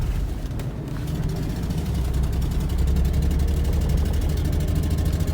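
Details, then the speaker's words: Ford Mustang 3.8 V6, 147,000 miles, five-speed manual: uneven loping idle with stumbling pulse, running rough with fuel smell and exhaust leak; owner suspects bad fuel injector, also considers fouled plug or coil. "yeah she's running a little rough"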